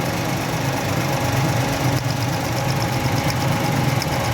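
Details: Suzuki 800–1000 cc Japanese automatic car with the check engine light coming on and poor pickup: a loud idle with an uneven, lumpy beat and faint stumbles, an engine misfire at idle; the spark plugs are being checked.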